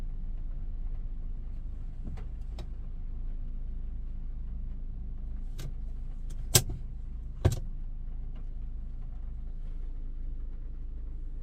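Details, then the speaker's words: Maruti Brezza after engine overhaul for bad sound (bent connecting rod found): soft steady low hum with no ticks or knocks, barely audible, a few stray clicks nearby; smooth quiet healthy idle. "बहुत बढ़िया अंदर से यहां से कोई आवाज ही नहीं लग रहा है ऐसे भी नहीं लग रहा है कि गाड़ी में गाड़ी स्टार्ट है"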